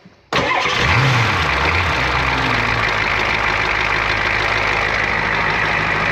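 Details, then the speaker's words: 1994 Ford F350 diesel fire truck, previously non-running from a fuel issue, after fuel system priming and glow plug cycle: quick crank, catches cleanly, steady even idle with oil pressure; normal start and idle. "was easy you got oil pressure"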